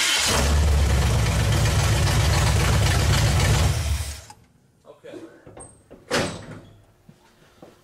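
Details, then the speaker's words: V8 after setting ignition timing, vacuum advance lines unplugged: catches at once and holds loud, even, lumpy idle a few seconds before shutoff; normal easy start. "that fired up really easy"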